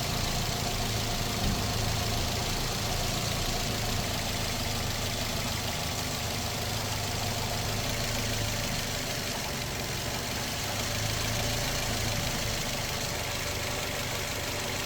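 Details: Older-model Perodua Alza idling after thermostat replacement while coolant is topped up to purge bubbles: steady, even idle with a constant low drone and no knocks, misses or surges; engine running smoothly.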